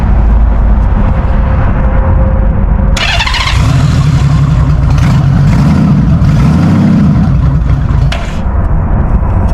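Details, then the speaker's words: Carbureted motorcycle on choke, cold start: starter whirs, catches right away and settles into smooth, deep, even idle; normal healthy cold start. "There we go. Let's see what happens. Now that is a cold start."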